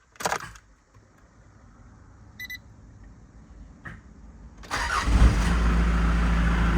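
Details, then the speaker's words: Mitsubishi Pajero 4M40/4D56 diesel right after a fuel filter change without pre-filling the filter: slow quiet cranking for several seconds, then fires to a rough loud idle; air in the fuel system, later smoothing out. "Not bad. Okay. So, she ran a little rough for a while, but now it's running good. Um, obviously there's air in the uh system"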